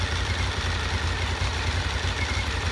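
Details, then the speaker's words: Honda VFR 750 at hot idle after clutch basket repair, clutch pulled and released: steady even idle with only light camshaft tick; the earlier knock from the clutch basket, worse with clutch pulled, is gone. "wciskany, puszczany, słychać pracę wałków rozrządu i tyle. A tam ledwo coś jest, zrobiło się znacznie lepiej, no cóż, w zasadzie pukanie ustąpiło i nie stuka wcale"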